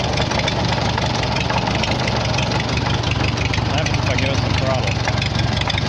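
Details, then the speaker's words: 1944 Farmall H bought at auction, first run, no coolant: loud chuffing idle with an uneven beat under transmission and hydraulic clatter; oil pressure present, but owner doesn't think it's running on all four cylinders; rough idle. "there's even some oil pressure i don't think it's running on all four cylinders either but i don't want to overheat it"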